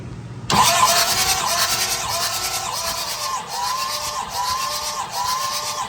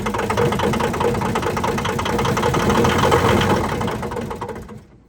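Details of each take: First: Thomas 233 HD skid steer that sat for years, cranking during a compression test (cylinder one 200 psi, cylinders two and three about 250): a steady starter whir with an even pulse about three a second and no firing. Normal cranking. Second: Thomas 233 HD skid steer diesel, sat for years in a scrapyard, first start after reassembling the injection lines and bleeding: rough running with heavy uneven clunks, about three or four a second, then it dies. It locked up completely; owner suspects a dropped rod.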